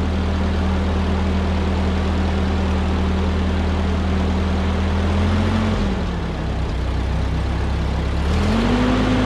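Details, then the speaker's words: 1946 Ford 2N tractor flathead four after a blown head gasket was replaced and the engine cleaned and refilled with fresh oil: steady, low, even idle that dips briefly then recovers; running cleanly and healthy. "it's been purring like a kitten for a little while and I've got it back together"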